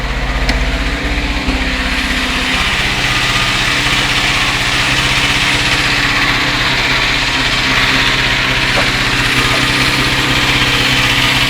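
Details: UZAM 412 engine at steady idle with a light, regular tapping about four times a second over the engine; an internal knock, cause not pinned down.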